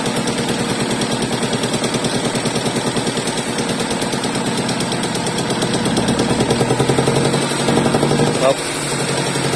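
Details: Ford Lynx 2000 manual, engine at idle: fast, uneven chuffing with a stumbling beat and occasional dropouts; cylinder misfire, a fuel rail leak suspected, not confirmed.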